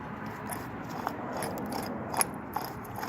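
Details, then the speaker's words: Trailer wheel hub off the trailer: rough gritty crunching and scraping with irregular clicks, hub very wobbly; wheel bearing is shot. "could hear that that's not what a bearing is supposed to sound like"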